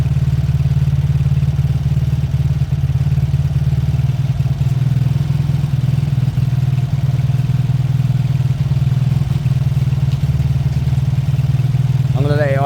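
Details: Beaten-up old Lexmoto motorcycle, many parts missing, warming up after first start once fuel reached the carb; small single idles with steady, even low burble, no knocks or hunting, left about 5 minutes to circulate oil. Normal warm-up idle.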